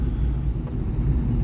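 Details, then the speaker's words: Peugeot 307 after reassembly for roadworthiness inspection, driven slowly in 3rd gear on a small road while breaking in and bedding the brakes; steady low drone, no clunks, grinding or squeals, gearbox shifting fine. Normal driving. "Pour le moment, ça a l'air d'aller. Je suis en 3ème vitesse, ça passe nickel."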